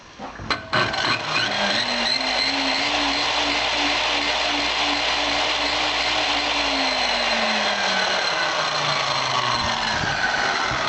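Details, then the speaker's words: Circular skill saw run from a 3000 W modified sine wave inverter on 12 V DC: motor hums up slowly and unevenly, pitch climbing sluggishly into a rough buzzy run; poor start compared with pure sine wave inverter. "you can hear it really doesn't start very well if this was like a computer or a laptop you could wreck it"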